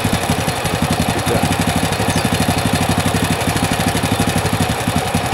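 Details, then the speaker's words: Standard carburetor on a motorcycle, warmed up, air screw turned right to fully closed: steady single-cylinder idle of about four beats a second sags and slows; a noise like from the magneto area is heard when fully closed. "ini melambat ya. Apakah harus mentok pas mati?"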